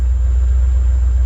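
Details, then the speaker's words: 1988–1993 Ford Mustang V8 just started on a rebuilt A3M1 mass airflow computer after fuel pump prime: deep, even burble holding a smooth, steady idle with no misses, hunting or knocks; normal idle. "So what we're looking for here is a smooth, steady idle,"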